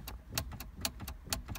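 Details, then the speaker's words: 2006-2013 Chevrolet Impala with the shifter stuck in park, after a detached wire at the shift interlock connector was cleaned and reconnected: pressing the brake gives sharp, crisp solenoid clicks about four a second, and the lever now moves. "So when you do put it back to the connection, now when you press the brake, you can hear the sound."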